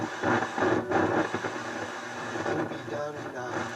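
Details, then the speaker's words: Harman Kardon HK460i receiver: crackly, scratchy static and breaking-up station audio as the tuning dial sweeps; weak station pickup, right channel very weak, dirty tuning capacitor needs cleaning. "it's like there's dirt in the tuning capacitor so i got my work cut out for me"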